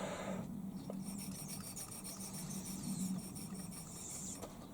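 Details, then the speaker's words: Finished Stuart Models S50 model engine driven only by blowing into the pipe: soft, quick, even chuffing over a breathy hiss at a steady beat; runs smoothly on breath. "yeah i mean it just runs so smoothly um you know i can make it run purely by blowing into the pipe"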